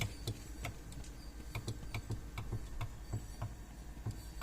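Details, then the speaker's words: 2007 Suzuki XL-7 power window, door open: switch clicks, then irregular faint clicks and short buzzing bursts from inside the door as the motor strains without moving the window; stalled window motor, cause not found. "hear the motor trying to move inside there the switch actually clicks you can hear the window motor trying to move"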